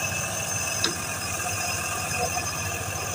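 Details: Package AC unit running with a loud steady high-pitched whine over constant rushing airflow, much noisier than a smaller unit running nearby; worn bearing suspected.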